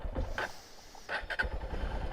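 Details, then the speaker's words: Carbureted Honda XR150L just started on a cool morning. An uneven, sputtering low idle with irregular surges while it warms up; this is normal for the carburetor. "The bike's running. It's so quiet you can barely hear it. And it has a little trouble getting warmed up. I mean, not trouble, but it just takes a second to get it warmed up."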